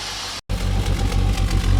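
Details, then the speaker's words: Holden VS Commodore ute, V6, at idle with exhaust stinking of unburnt fuel; swapping injectors between cylinders one and four changed nothing: lumpy idle with the exhaust beat dropping out irregularly. Misfire later traced to a shredded, worn camshaft. "See, it's missing on idle and it's not. You can hear it's missing."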